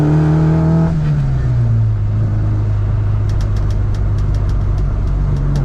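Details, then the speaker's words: Classic Mini John Cooper conversion with twin SU carburettors on first drive, idle slightly high, throttle cable sticking, plugs suspected fouled earlier: revs cleanly, then drops to a smooth, even cruise note with no misfire or stumble; running well. "Oh, that sounds lovely."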